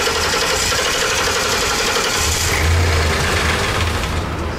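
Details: 2012 Ford E350 E-Series 4.6, no fuel pressure despite new fuel pump: engine catches on starting fluid and runs roughly a few seconds before dying, suggesting spark is most likely present but no fuel delivery.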